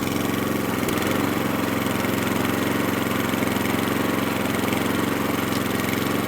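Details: Atco Balmoral cylinder mower unrun for nine years, after carburettor fuel screw opened about three-quarters of a turn: even, rapid, steady beat, no spluttering; running sweetly.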